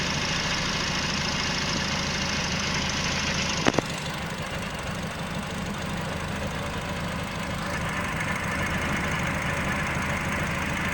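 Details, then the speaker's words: Nissan Livina, front O2 sensor replaced about a month earlier: idle that wavers, briefly smooth then lumpy again with uneven pulses; rough idle from faulty front oxygen sensor wiring upsetting the mixture. "sekali sesekali dia mau rata ya datar nanti setelah itu dia seperti itu lagi unuk mesinnya kita mau cek dulu untuk e sensor h2-nya"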